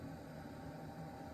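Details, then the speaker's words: Fuel-fired cabin heater in a shuttle bus conversion, which previously shut down. The fuel pump was ticking before it lit. During warm-up there is a steady, soft blower whoosh over a faint hum. It fires up and runs normally. "yeah sounds like it's firing up just fine there's one tick off the list"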